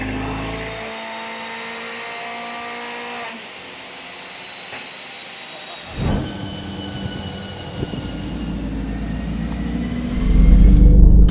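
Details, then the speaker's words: Car after fixing faulty fuel injectors that caused a misfire: engine note holds steady with a few small blips, then picks up, no longer choking on fuel; normal running. "I guess it sounds better cuz it just sounds like it's not choking on uh not enough fuel much."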